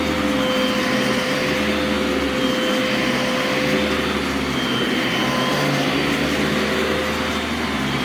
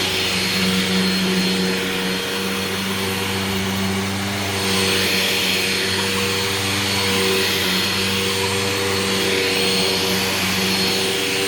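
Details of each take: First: Brand-new Legacy-era high-filtration vacuum, brush shut off when upright, brief run: even steady motor roar, constant hum, no surging, rattles or scraping; runs smooth and healthy. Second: Old vacuum with poor, dust-spewing filter setup: steady high whine with squeaky tones on top; owner suspected the brush roll going out, but after it sat it seemed okay.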